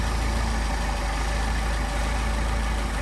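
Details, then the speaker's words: Mercedes 190SL with Solex carburetors, idle near 600 rpm: turning the first carburetor's idle mixture screw in makes the steady idle sag and stumble, running too lean. "See our idle start to drop off. Back it out. All right, first barrel. First carburetor. And here it start to stumble."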